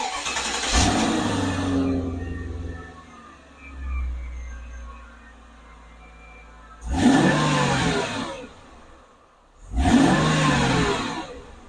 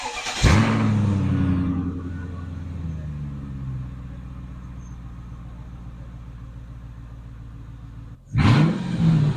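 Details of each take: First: 2000 Mercedes-Benz S500 V8 with the exhaust just reinstalled during driveline vibration work: cranks and catches cleanly, settles into a smooth, even idle, then two quick blips rev and drop back; healthy engine, sound barely changed from before. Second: 2000 Mercedes-Benz S500 V8 with exhaust removed, no muffler or resonator: barks to life loud and raw, then settles into a deep, rumbling, unmuffled idle.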